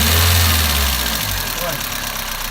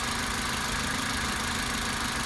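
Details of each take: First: Toyota Avensis 1.8 at idle: irregular light ticking from under the valve cover, excessive valve clearance on the exhaust valves (0.60 and 0.40 mm); after adjustment with thicker shims the noise nearly disappeared. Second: Toyota Avensis 1.8 after valve clearance adjustment with thicker tappets (exhaust clearances had been 0.60 and 0.40 mm): smooth even idle, soft faint top-end sound, no ticking; valve noise nearly gone.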